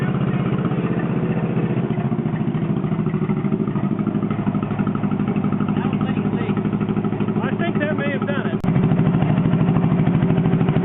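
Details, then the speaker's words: John Deere 420 Crawler two-cylinder tractor idling on gas after a no-spark problem; slow, even putt-putt with regular, strong firing and heavy flywheel inertia; normal idle. "boy listen to that inertia she's got a hell of a flywheel on it"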